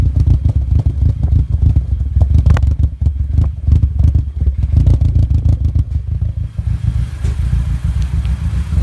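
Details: Audi A4 B7 with new coil packs and Bosch spark plugs: lumpy, uneven idle with irregular clattering knocks; misfire later found to be a holed cylinder 1 piston, engine done.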